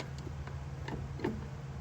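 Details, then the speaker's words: International cabover semi transmission, engine off: air range shift stuck in high range and not engaging properly; a low air hiss with sharp isolated clicks as the range selector is toggled. The assembly may need to be taken apart and cleaned. "well it was stuck in high range and we did get back down to low range now I'm not sure if it's actually going to if it's working though"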